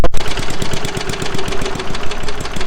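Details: Restored rusty lawnmower's small engine firing up after a loose spark plug boot connection that prevented spark was fixed. It keeps running with rapid, even firing pulses and a solid low thump; sounds healthy.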